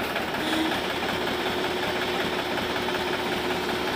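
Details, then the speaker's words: Balwan 450 diesel tractor after fitting a hard-to-find hydraulic pump and adding hydraulic oil, started to test the hydraulics by raising and lowering; steady, even diesel clatter with no knocks, surges or misses; hydraulics working fine, normal running. "लिए tractor को start करते हैं और इसके hydraulic को up और down करके हम इसको चेक करते हैं"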